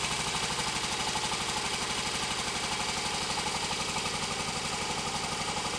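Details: Royal Enfield Constellation twin, started cold after standing over the weekend following oil leak repair: uneven, lumpy beat about four pulses a second under a bright clattery top end; running rough, cause not confirmed.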